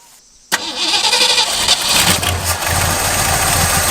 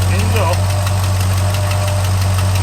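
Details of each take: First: 1963 Ford Galaxie that sat for a couple of years, briefly flooded: the engine catches abruptly, roars into a rough, fast run for about four seconds, then settles lower and keeps running. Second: 1963 Ford Galaxie revived after years sitting: heavy V8 idle with a quick, sharp tick in step with the engine from a header leak on one side.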